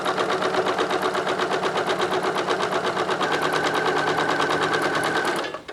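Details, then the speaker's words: Singer 9970 sewing machine with size 12 universal needle sewing multiple fabric layers: quick, even stitching patter with no knock or grind, only a faint squeak from the foot pedal spring; machine itself runs quietly. Normal running. "let me so just just listen the quietness of this oh my god I could hear the foot pedal squeak compare it to this the foot pedal spring is making noise and the machine isn't listen"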